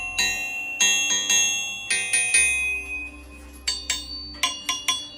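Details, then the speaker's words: 532ci big block Chevy build, crankshaft tap test: each tap gives a clear bell-like ring that hangs on before fading; good crankshaft rings like a bell. "I've always heard that good crankshafts ring like a bell"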